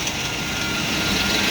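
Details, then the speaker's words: 2000 GMC Yukon Denali V8 idling with a fast, dry chatter over the engine from a worn, vibrating belt tensioner pulley; fixed by replacing the whole tensioner. "you hear that chattering belt tensioner pulley it's not working right it's got a little vibration in it that's what's making that chatter"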